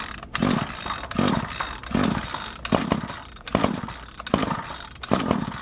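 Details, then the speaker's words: Free lawn edger just after a rebuild and new nozzle, primed with fresh gas mixture: it catches in rough popping bursts about once a second and dies back, sputtering; owner thinks fuel is still working into the system. "This is the one you rebuilt. Sounds like it's popping there. Gas is still getting in the system, so it'll take a while."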